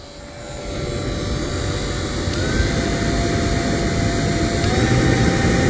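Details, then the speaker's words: New Holland T6.175 tractor cab blower fan after replacement, key on: steady rushing air with clean hum stepping up in pitch to high speed, no rubbing or rattle; air from all vents. Normal blower operation. "Ho ho, it works. How about that? Can you hear it?"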